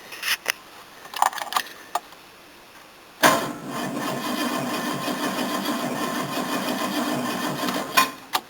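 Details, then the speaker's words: Engine cranking on a new battery with a 40-year-old cable taken from a Series 1 XJ6: starter spins with a steady, even churn for about five seconds, no slowing or clicking, turning consistently; healthy cranking. "Ooh, it actually turns now. Consistently."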